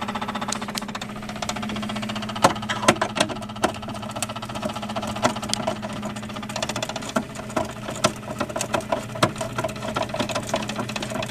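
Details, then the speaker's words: Bosch refrigerator damper control, in service about 10 years, cover removed and the damper valve cycling: a steady low hum with irregular clicks and ticks from the motor. The motor is failing. "okay here's the motor it's operating seemingly and you can hear the noise that it's making and uh that's an indication that the motor is got some sort of problem it's about to fail"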